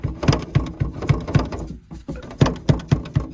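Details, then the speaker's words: MaxxAir roof vent fan, cover removed: about three or four sharp plasticky clacks per second as the lid is rocked, brackets ruled out; owner suspects the lid moving on its very thin rubber seal strip. "I thought maybe it was this bracket it's not that bracket none of that rattles what does rattle is the lid"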